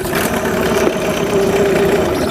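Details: Yamaha 9.9hp outboard after full service, run in a bucket of water with a good impeller stream, restarted first pull: steady, even idle with a smooth buzzy note, no misses or knocks; runs normally.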